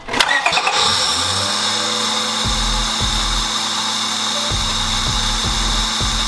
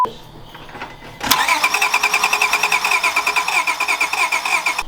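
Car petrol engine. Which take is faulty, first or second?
second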